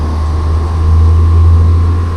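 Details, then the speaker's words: Vevor 5 kW diesel air heater after shutdown: the fan winds back up, likely to purge the remaining hot air as a safety feature. Steady low fan drone with a faint even tone and no rattles or scraping, so the blower runs normally. "the fan just started winding back up and I bet it's just blowing out the rest of the hot air that's good that's a nice safety feature to have so it don't burn up catch something on fire"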